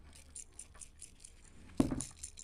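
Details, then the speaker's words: Streamlight flashlight charger whose red LED stays on only when the cable is wiggled; connection fault suspected. When shaken, light clattering rattles come about four a second, louder when shaken harder, from broken loose pieces inside the housing. "Do you hear that? Sounds like something is loose inside."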